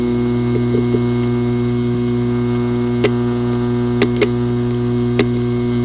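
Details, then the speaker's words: WD My Book external hard drive (WD20EZRX/WD40EZRX class), not accessible: steady motor hum with irregular sharp clicks about once a second; physically damaged disk assembly needing clean-room repair. "Possible reason: disk assembly physically damaged. Recommendation: try class 100 clean room disk assembly repairing. Do not open the hard drive in any open area like home or office. The following is the sound from one of the hard drive which experienced disk assembly physical damage."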